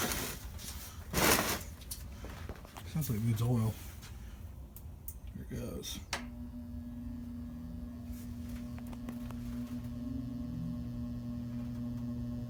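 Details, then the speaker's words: Vintage Kisco box fan on high: low motor hum slowly firms up as blades lazily wind up to speed; slow startup, runs faster when warm, motor smells funky when warm and may have been smoking, oil suspected. "But it goes a little bit faster once it warms up. Here's high. Figure I'll spin it around real quick and do the startup sound."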